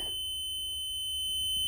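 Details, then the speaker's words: Mercedes Sprinter with a short to ground, wiring checked with a meter: a steady, high, shrill continuity buzz without a break; that wire is intact, fuse box suspected. "can you hear it buzzing there you go there you go right okay so far so good"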